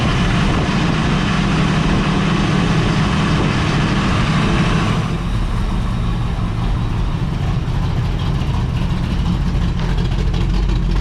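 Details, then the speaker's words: 1973 Toyota Land Cruiser FJ40 with Chevy 305 V8 idling after new headers and a welded Y-pipe exhaust were fitted: low, even rumble with a soft steady burble, no knocks or exhaust rasp; idles quietly and healthy. "all right we got an exhaust let's try firing this thing up should be pretty quiet now"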